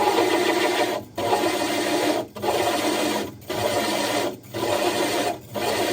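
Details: Diamond hole saw drilling the glass of a 60 breeder aquarium: gritty grinding for about a second, easing briefly and returning five times as pressure is lifted and reapplied and drill power varied; normal controlled cut.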